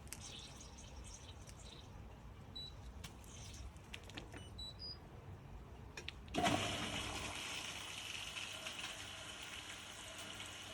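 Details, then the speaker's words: Indesit IWDE126 integrated washer dryer starting a standard wash: a few beeps, then steady rush of water as inlet fills normally. "And I can hear it filling up with water. See there, soap tray is a bit messy. I can hear it filling up, so the program has started."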